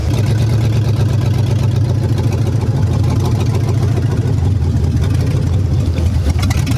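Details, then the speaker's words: 2006 Chevy Tahoe 5.3L Vortec iron-block V8, 200,000+ miles, after sitting: steady, even low rumble with no knocks or misses. Good oil pressure, runs all right. "It's got good oil pressure. Seems to run all right."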